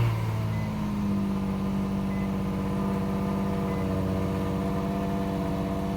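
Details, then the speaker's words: Infiniti G35 V6 idling steadily and evenly with no misses, knocks or rattles, about three days after a coolant flush. It has not overheated since, though it overheated once after sitting. Heard just after start, before warming up: normal idle. "i got the car up and running it hasn't been overheating or anything after doing the coolant flush it's been about three days"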